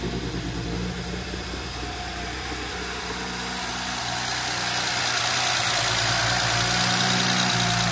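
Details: 2010 BMW 135i (N54, MSD81 DME) after a crank-no-start repair involving corroded, shorted circuits: the engine catches and idles with an uneven, lumpy beat as it settles. Misfire traced to cylinder 3.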